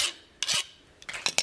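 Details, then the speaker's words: 1084 high-carbon steel dagger blade, 20 cm, just quenched and not yet tempered: a file skates across with short, bright, high-pitched rasps and cannot bite in, unlike softened steel. The blade is fully hardened. "And it does. Now what you're hearing is it can't bite in."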